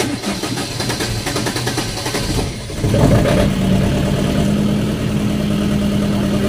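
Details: Diesel generator set with hard starting cranks unevenly about three seconds before catching and settling into a steady run; the fuel inside was found badly contaminated and murky; hard starting from contaminated fuel.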